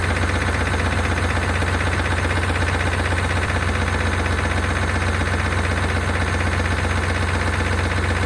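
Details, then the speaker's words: 1992 Chevrolet Caprice wagon parts car, sat in a field, thought seized; oil nearly new, about a quart low. Deep idle with fast regular tick about four per second, louder on restart; owner suspects lifters, unconfirmed. "see if we can uh fire back up and get those lifters to quiet down uh that sounds a little louder gun"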